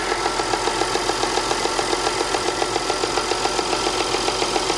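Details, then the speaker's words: 2010 Audi Q5 Premium Plus, direct injection, timing chain, with low oil pressure warning and check engine light: smooth steady idle with a light rev, only regular injector clatter, no top-end tick; sounds normal. "let's listen to the engine let's give it a little Rev sounds fine it sounds fine I don't even hear a top engine tick nothing it sounds absolutely fine here come listen to it"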